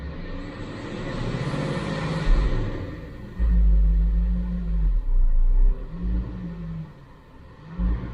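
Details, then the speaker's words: Supercharged Range Rover (L322) V8, bought for $850, after a transmission service: a deep rumble that swells and sags unevenly while returning to idle after revving, a surging, hunting idle. The cause is not yet known; MAF cleaning and a PCV valve replacement are planned. "It sounds great, but it turns out we have a surging issue when the engine's going back to idle."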